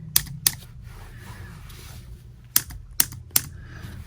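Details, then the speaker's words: iPhone 7 home button pressed five times giving sharp, clattery clicks: the haptic vibration motor sits loose with no screws. Installing screws made the noise disappear. "oh here is the vibrator as you can see it's you know like there are no screws at all that's why it's doing like this see"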